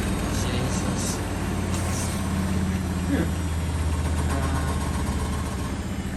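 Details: Washing machine on spin in a wooden-floored shed with temporary plumbing; steady low drone with loose rattling as the unlevel machine shakes the floor, whole shed, and a light fitting; owner needs to level it.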